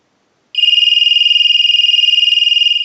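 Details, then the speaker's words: Western Electric 323 candlestick rotary telephone in the shop after shorting the phone line; ring cycle sent from an analyzer gives a shrill, even warbling ring pulsing about 3.5 times a second: ringer works properly. "now what we can do is use the analyzer and send a ring cycle so we'll start that will let that go a few times"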